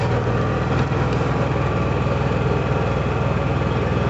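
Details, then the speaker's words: Honda EU6500 inverter generator after carburetor cleaning and draining year-old bad gas, pull-started: steady, even low hum with smooth regular beat, no misses or surging; very quiet, normal running after repair. "listen how quiet this machine is it's running right now i mean you probably hear it louder because my mic but i'll stand over here where the camera is just listen how quiet that is like you can barely hear it it's quieter than my ultrasonic cleaner"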